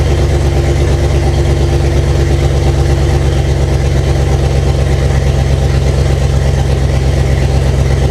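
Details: 1998 Jeep Cherokee with swapped 2005 5.3 LM7 V8 on first runs, open exhaust and O2 sensors unplugged: loud, deep idle with a choppy, uneven pulse and blatty exhaust; running rough, owner suspects a vacuum leak.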